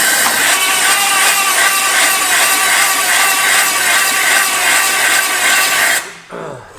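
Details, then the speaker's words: 1951 Buick Super abandoned 40+ years, cranked on the starter with brake clean after freeing a stuck engine: uneven cranking at about three beats per second with a raspy, hollow chuff. Stuck-open intake valves losing compression, likely two. "Sounds like some intake valves aren't sealing too good, doesn't it? Stuck open. Couple unhappy intake valves."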